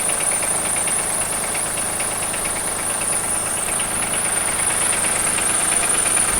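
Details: 2003 Acura MDX V6, 208K miles, misfires on all six cylinders, overdue timing belt, ticking valves: sharp regular knock about three per second at idle; dealership suspects wrist pin or rod bearing, owner suspects jumped timing tooth.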